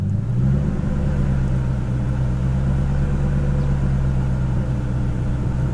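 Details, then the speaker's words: BMW E39 540i 4.4 V8 with low-rpm surging, after a throttle body fix, idling in the yard: low, even drone holding steady speed; no longer rev hunting nearly as much. "yeah it's not rev hunting near as much now"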